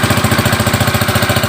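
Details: Honda Click 110 carbureted scooter, after the whole bike lost electrical power, starting and idling with the ignition switch bypassed by a direct wire; the ignition key switch is suspected faulty. A steady, even single-cylinder thump about ten times a second with no misses; normal idle.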